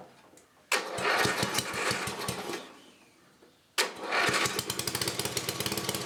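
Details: 1984 10HP Briggs and Stratton single-cylinder engine, first start after a rebuild with new rings and gaskets and reseated valves. It catches, stumbles out after two seconds, then restarts and settles into a quick, even putter, running healthy.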